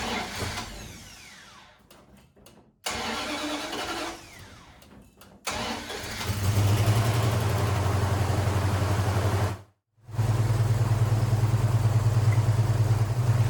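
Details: 1974 Plymouth Duster 318 V8 after years neglected in the desert, fuel hoses replaced, fed gas poured into the carb; short cranking, catches into a steady low rumble, briefly cuts out, refires and keeps running; wiring arcing noted: starts after long storage.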